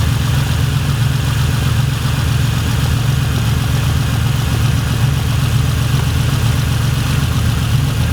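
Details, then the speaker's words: Naturally aspirated Supra on individual throttle bodies with two 272 cams, on the dyno: lumpy, loping, slightly irregular idle with deep induction rumble; a couple of cylinders seem out, so airflow is being checked on all six. "sound a bit it sounds like there's a couple that are out i mean it has got two seven twos in it"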